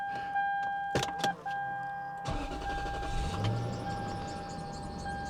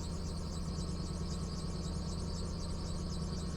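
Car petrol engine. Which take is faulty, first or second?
second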